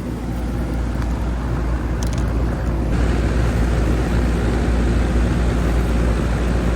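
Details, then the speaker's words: Old Goodman AC outdoor unit on an 8 pm no-cooling call. A steady low fan rumble and whoosh with no compressor hum underneath; the condenser fan runs but the compressor isn't running, and gauges are to be checked. "Oh, Goodman. Go get a gauge and see what she's doing. All right, I thought I heard a compressor, but I did not."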